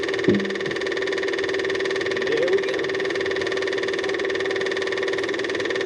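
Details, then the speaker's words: Cat 259D skid steer at its 1500-hour service, with a newly replaced fuel pump and fuel filter: a steady, even electric hum holds its pitch for several seconds as the pump primes normally and fills the filter, with no leaks. "Well, that's definitely working. Let's look for leaks. Well, that is definitely filled that up."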